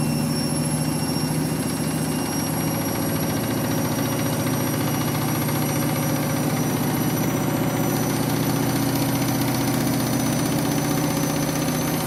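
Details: Washing machine final spin after a very sudsy final rinse, load sensor setting spin speed; loud steady drum roar at full spin with low hum, excessive spin noise, cause not pinned down.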